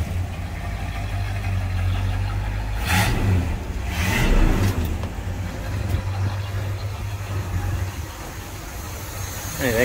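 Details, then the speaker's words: 1984 Chevy C20 square body service truck, after all-new exhaust (previously ran choked): V8 idles evenly, revs up and settles back cleanly without misses or rattles; no smoke, sewing-machine smooth, healthy. "no smoke sounds like a sewing machine in here if you can hear it"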